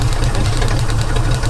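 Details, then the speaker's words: 1949 White wrecker, idling; rapid steady ticking with light popping, stops when covered; probably from the air pump. Ticking noise. "is that something I hear something going okay so we need to fix this you hear that popping yeah is that coming out of that probably the air pump"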